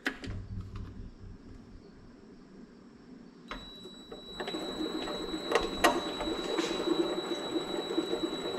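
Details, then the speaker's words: Vevor mini lathe running with a high whine and uneven clicking and clucking; the pulley wobbles and the noise comes from behind it, where a pulley bearing had busted apart. A new bearing made it run smooth. "can see that all wobbly you can hear it clicking that's coming from somewhere back behind this pulley"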